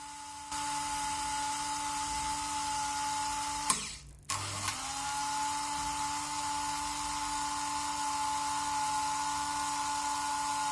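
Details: Märklin 7186 turntable, previously sluggish clockwise and stalling, after repair with Märklin oil on cogs and bridge house refitted, run both directions: steady even motor hum, brief stop and reverse, same smooth tone; normal running.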